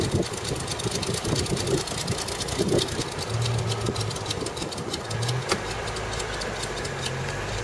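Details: Striker FV102 (CVR(T)) tank engine idle stumbling with an uneven, lumpy knocking beat and missing firing pulses; misfiring badly from a stuck valve, later fixed by fitting a replacement engine.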